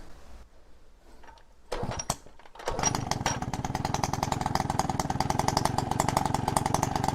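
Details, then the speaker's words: Peugeot 103 RCX moped two-stroke, first start after rebuild, choke pulled manually by cable, carb needle had been stuck: fires after a few pulls, then a fast, even buzz holds steady on choke; running fine. "I'm gonna pull choke manually. See if we can fire it up. Carbs are a tricky thing. So this should work. And it fired."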